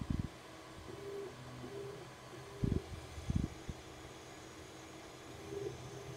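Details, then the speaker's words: Wanhao Duplicator 6 3D printer after fitting NEMA 17 stepper motor dampers and retensioning belts: soft low hums as axes move back and forth, a few light clunks, no harsh buzzing; steppers running quietly. "nice and quiet backwards and forwards that's going to be a lot more pleasant to play with now"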